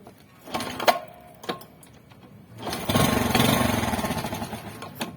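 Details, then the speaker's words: Yamaha Spark small motorcycle cranks, catches roughly, then sags and stalls, unable to hold idle and stumbling while riding; over-rich flooded mixture, blamed on the fuel tap rather than the carburettor. "นี่นะครับปล่อยเดินเบาไม่ได้ดับตัวอย่างนี้นะครับเมื่อกี้เนี่ยอันดับตลอดเลย"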